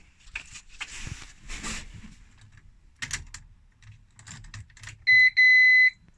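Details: Renault Twingo after engine swap, ignition on with ignition disconnected before oil-pressure cranking: keys rattle, then two sharp high-pitched beeps warning of no brake fluid in the reservoir.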